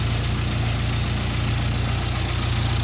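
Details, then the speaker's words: 1961 Mk1 MG Midget roadster, sat in a garage 54 years, first run after revival with no cooling system fitted and a leaking thermostat; steady, even low burble, no knocks or misses, normal idle. "Idling away and it sounds fantastic."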